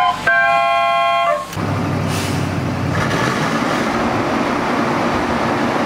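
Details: ZIL truck started with fresh battery and crank handle starting kit: a couple of horn toots, then engine catches and settles into a steady, even running rumble.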